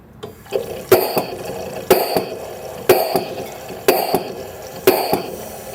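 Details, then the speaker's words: LM10 microfluidizer with air feed deliberately throttled to simulate low supply pressure, triggering the yellow low-pressure warning light; hissing air strokes roughly once a second, each with a sharp exhaust burst. "the next section of the LM 10 is the low air pressure warning so we will turn the machine on and slowly throttle the air to simulate a low air feed to the unit"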